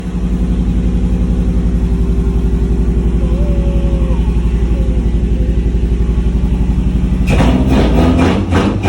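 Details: Newly installed engine idling with slightly uneven pulses then a short sharp rev blip; intermittent misfire on cylinder 3 blamed on poor spark plugs supplied with the new engine.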